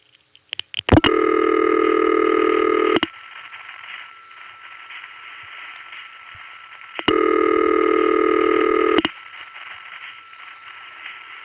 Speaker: First, Gotham begins to communicate normally with the Watsworth 3 panel. Oops, hit a glitch. So, goodbye Watsworth. Hello Amsterdam.